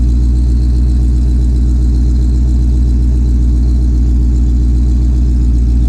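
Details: 2020 Shelby GT500 Mustang V8 with a newly installed Whipple 3.8 supercharger, idling while warming toward operating temperature: loud, deep, even idle with a steady lope of about two and a half pulses a second and no ticking or whine. Normal idle.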